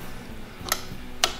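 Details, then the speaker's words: 1969 Roof Palomino lawn mower Jeep: pressing the start button gives two sharp, isolated clicks about half a second apart with no cranking; starter solenoid judged bad, next checked with a test light for power at the starter cable. "no I can hear the sound like clicking probably there goes it's bad let's see if we got juice"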